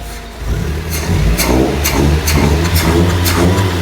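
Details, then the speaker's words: Maruti Gypsy just restarted, air filter not yet fitted, throttle blips: deep steady exhaust note rising and falling smoothly, no knocks or rattles; normal revving. "Exhaust की आवाज़ मस्त आ रही है भैया, है नहीं भैया?"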